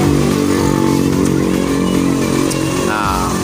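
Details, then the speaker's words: Honda Beat scooter after replacing a crankshaft bearing damaged by oil starvation that had caused rough knocking; now smooth, even running with no knock, fan and its housing not yet fitted. "nih sekarang kita dengar suara mesinnya halus Oke ini belum dipasang kipas dan juga rumah or ya"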